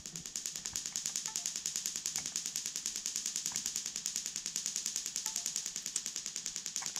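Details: Link aftermarket ECU ignition test via PC Link, individual coils, spark tester on cylinder one, engine not running: crisp, evenly spaced high-pitched snaps about three a second; coil fires normally.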